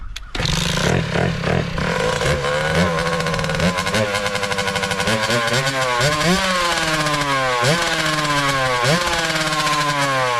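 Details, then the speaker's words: 2003 Kawasaki KX60 two-stroke after long storage buzzes and blips unevenly, revs surging and sagging, struggling to hold idle; dies as soon as the choke is turned off. "And it dies when the choke's off. So, that's an issue."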